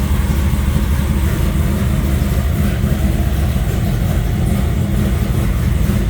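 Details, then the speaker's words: LS stroker V8 after fixing a push rod off the intake lifter (was missing) and switching back to the original block crank sensor: deep, steady, even rumble with no knocks or misses; runs smoothly and healthy. "All right. Well, that sounds a lot better."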